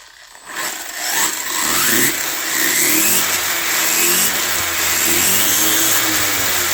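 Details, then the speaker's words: 1/14 scale RLAARLO/CROBOLL RC monster truck converted to Hobbypower 3650 3300KV brushless motor on 3S: startup chirps, then high whine sweeping up to a loud scream; healthy motor revving hard. "But all right, now it's going to sound different when we turn it on. It's a lot louder. You can you can hear those chirps."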